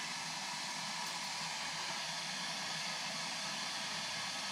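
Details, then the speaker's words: Nankai electric kettle after service, filled with water and tested: steady even hiss of water starting to heat, no buzzing or crackle; normal heating. "Sudah nyala. Kameranya saya cabut dulu. Jangan usah nih. Ini udah terdengar desis-desis suara air."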